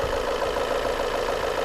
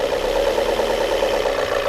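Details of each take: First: Volvo S40 petrol after replacing the mass airflow sensor and finding no intake air leaks: engine now idles evenly and stably, though somewhat noisy with some tapping of unknown origin, possibly knock. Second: Volvo S40 petrol engine after air-leak repair and MAF sensor replacement, now idling evenly and stably but noisily, with light tapping about three times a second; unclear whether knock or something else.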